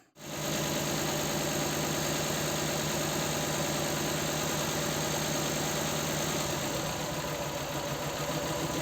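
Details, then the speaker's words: Nissan Sentra 1.8, returning cylinder misfire, shaking, low power, puffing exhaust; coils and plugs ruled out: rough, uneven idle with a beat dropping out about four times a second; injector 2 gets no activation pulse, possibly broken wire to ECU. "Y así es como supe que no tenía yo las la señal o los pulsos de activación de ese inyector"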